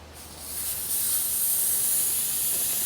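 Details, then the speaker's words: Car A/C with a major leak, gauges showing no pressure; charging line cracked loose at the tank to purge air before adding refrigerant for a leak test; a steady, sharp gas hiss builds and holds evenly, normal purge. "We're going to purge some of the environmental air out of here, because we don't need environmental air in that system. Crack this loose a bit."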